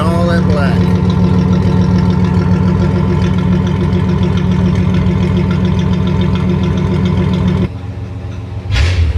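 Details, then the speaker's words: 1985 Chevrolet Celebrity 2.8 V6 running before a muffler replacement. Deep, loud, unmuffled rumbling roar from the blown-out muffler; an exhaust manifold leak can sound similar. "alright well then if your vehicle sounds like something like that or close to it then you probably mean a muffler or you've got a big boss manifold leak or something like that along those lines"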